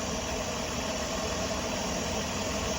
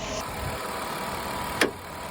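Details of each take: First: 2002 Ford Escape with low, erratic, lean idle and check engine light: constant airy hiss over low, slightly uneven idle with faint whistle; air squeezing through a collapsed PCV hose, vacuum leak. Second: 2002 Ford Escape treated for low, erratic rough idle and lean condition, after MAP sensor repair: even, quiet idle at correct rpm with no vacuum-leak hiss, MAP readings spot on; intake manifold found not tightened.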